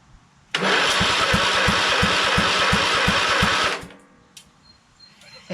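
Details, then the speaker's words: Craftsman LT2000 lawn tractor with a Kohler Command engine swap, fuel shut off, key test of the solenoid, starter and wiring harness. Steady, even cranking with no firing shows the starter turns the engine over properly. "that we're turning the key and it cranks when it should good"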